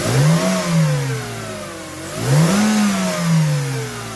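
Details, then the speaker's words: Mercedes C-Class W202 with M112 V6 started after spark plug and air filter change; catches, flares twice, then settles to a smooth, even idle running on all six cylinders. "I will just fire it up just now, just to make sure that it still runs on 6 cylinders."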